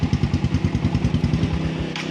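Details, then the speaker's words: Motorcycle charging test: while idling, the battery positive supply is disconnected with the key still on, and the steady single-cylinder idle dies within seconds. This indicates a charging system fault, which explains stalling when lights, signals or horn are used. "Kung mapapansin nyo, nakasusi pa rin yung kanyang susian, pero patay na yung kanyang makina. So ibig sabihin nito, may problema yung charging ng motor ni boss, kaya namamatay-matay yung kanyang makina kapag gumagamit siya ng mga accessories, mga ilaw, signal"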